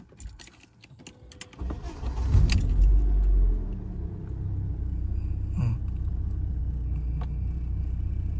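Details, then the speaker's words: BMW E36 with M43 engine starts and settles into a steady, even idle with no hunting or dips after fixing a vacuum leak with an added gasket and adjusting the idle part's position; previously it dropped and wouldn't idle after start. "Idlnya stabil. Awalnya itu kalau posisinya enggak dirubah dia start itu langsung turun lagi enggak mau idle."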